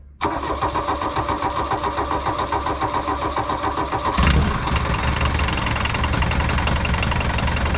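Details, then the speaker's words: Abandoned 1980s VW Rabbit pickup diesel, fuel gravity-fed from a jug, catches after a brief crank into a clattery idle with a repeating knock under the diesel rattle; owner suspects rod knock or piston slap, unconfirmed. "i definitely hear like a rod knock or a piston slap or something she runs cherry"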